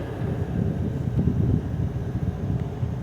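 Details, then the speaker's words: LG 6000 BTU window air conditioner, first start of summer 2022, GMCC rotary compressor and Broad Ocean fan motor, cooling hard with frost on the evaporator: steady even low hum, no knocks or rattles; compressor running normally. "You can hear the compressor a little bit better. Once again, it has a GMCC rotary compressor and a broad ocean fan motor."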